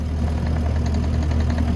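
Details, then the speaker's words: Kubota SVL75-2 compact track loader running on a leak test after a loose bolt was tightened: deep steady engine drone with a faint quick rattle from a worn track wheel, replacement on order; possible bad bearing nearby, unsure. "because you can hear it rattling. So I had to order one of those. Something over here sounds like bearings, but it's hard to tell."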